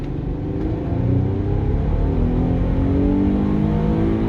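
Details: Infiniti FX35 (first generation) with a VQ35DE V6, after converting its US fuel and ignition maps to European ones. A deep, smooth roar climbs at full throttle in a low gear with no misses; ignition now 25–27° instead of 19°, pulling cleanly.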